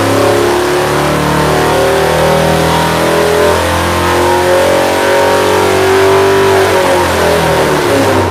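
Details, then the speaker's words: Customer-built V8 (first build, for a Roadrunner) on test, pulled from 3,000 to 5,800 RPM at full throttle with green readings across the board: strong clean roar climbing smoothly, no knocks, rattles or misses; normal healthy run. "There we go, all the way to 5,800 RPM. Woo! Yeah."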